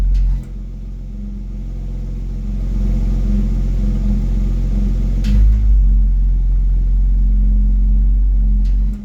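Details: BMW X3 M at idle with a low droning exhaust hum/rattle that comes and goes, stopping when the accelerator is pressed 1 cm without revving, sometimes much louder.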